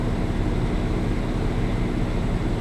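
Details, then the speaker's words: Diesel generator on a Dynamax Europa 34SS Super C motorhome, run mid-winter after owner doubted anti-gel was run through it; heat running as load: steady, even low drone without surging or hunting. Carries the heater load smoothly. "once I disconnected this, then the generator kicked in, and you can hear it."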